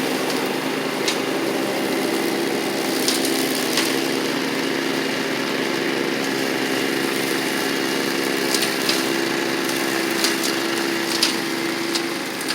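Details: Toro Proline walk-behind mower, Kohler Command engine, after carburetor, spark plug and blade work: steady, even single-cylinder buzz with no misses or knocks; owner notes it runs a little rich at idle.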